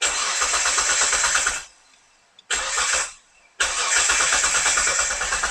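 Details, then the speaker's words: Mitsubishi Legnum with a replacement engine: steady cranking in two bursts at about three beats a second, never firing. Seems to get no fuel; noid light flickers only occasionally; wiring short suspected. Crank, no start. "So, it almost seemed like it wasn't getting any fuel."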